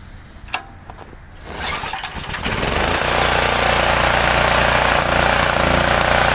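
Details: Homelite generator, 389cc Honda engine, after fixing no-start from poor fuel flow and dirty carburetor (carb cleaned, RTV used, ripped base gasket not replaced), choked start; few pulls, catches, revs to steady even high-speed drone, no misses: running normally.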